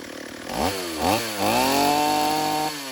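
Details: Stihl AV 028 Woodboss chainsaw after new fuel line and filter fixed lean bogging, running without air filter: revs cleanly, then holds a strong steady pitch through quick cuts in wood without bogging.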